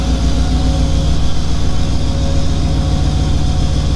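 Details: Model A hot rod with a 350 horsepower V8; deep, lumpy idle with steady firing pulses and no tapping, 80 psi oil pressure; engine running healthy.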